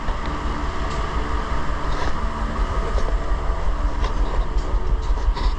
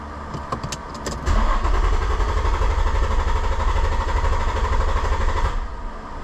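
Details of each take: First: 2006 Infiniti G35, 200,000 km, new spark plugs: choppy, stumbling, loping idle, a P0300 random misfire, not a dead miss; bank 2 lean (+15 to +25% trims), no vacuum leak found, ignition checked fine; traced to bad fuel injectors. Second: 2006 Infiniti G35, 200,000 km, rough idle after new spark plugs, bank 2 trims +15–25%; clear-flood crank for about four seconds at a steady even beat, no odd strokes, compression sounds balanced; later blamed on bad fuel injectors.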